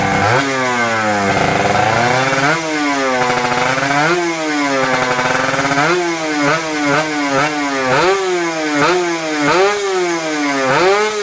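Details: Kawasaki Ninja RR 150 two-stroke after service: before, it pulled weakly, stuttered, the KIPS stuck at some rpm and the throttle hung. The carb throttle slide was sanded smooth. Now revs climb and drop cleanly in repeated blips; it pulls freely.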